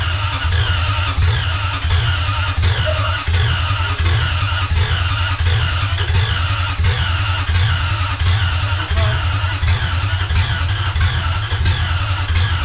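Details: Lexus 1UZFE V8, barn find unused 6 years, run before Jeep KJ install, with ATF added to cylinders: steady even beat around 86 per minute with a faint squeal; running normally.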